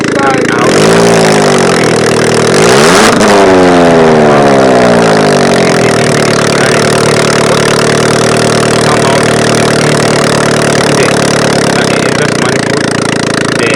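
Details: Car that would not pull or rev, with the catalytic converter and exhaust manifold section removed: the engine catches and revs up and down cleanly with no stumble. It pulls freely once the exhaust blockage is gone.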